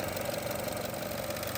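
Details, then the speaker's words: 2018 Chevrolet Trax with P0443 EVAP and mass airflow codes, at idle; quick light ticking back and forth over a smooth idle from the EVAP purge valve, failing but perhaps not completely failed, to be replaced. "When a purge valve starts clicking like that back and forth, it's may not be failed completely, but it's failing."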